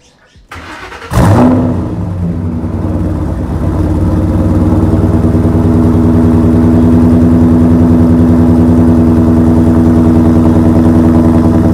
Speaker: now time for the good old fashioned cold start